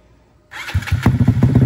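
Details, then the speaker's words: Custom Honda Grom 300cc big-bore stroker engine, first start after build: starter whirs, engine catches and runs with uneven, lumpy pulses, never settling; needs tuning. "oh we still got to work on the tune a little bit"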